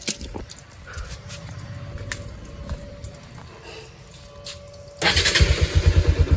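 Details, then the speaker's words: Bajaj Pulsar 200 (AS/NS/RS200), not started since previous night, water run into silencer to test: short crank, catches straight away, settles to steady low thumping idle; normal engine start. "हो गई अपनी bike start ठीक है"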